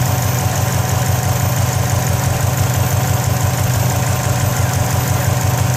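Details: 2004 Subaru WRX at idle: lumpy idle with quick uneven rattling pulse about three per second, rattle and smoke both coming from the turbo area; cause unknown.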